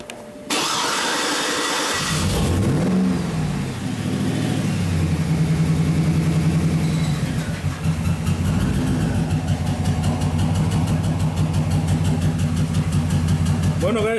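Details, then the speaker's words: 2007 Cadillac Escalade with a flashing check-engine light and traction control light: it cranks, revs, then idles with an uneven stumble. The misfire stays on cylinder 8 after swapping coils 8 and 1, so the coil is ruled out; spark is not yet checked. "usted es afianzarme aquí a notar el 8 sigue siendo el del problema el 1 no tiene absolutamente nada que ver"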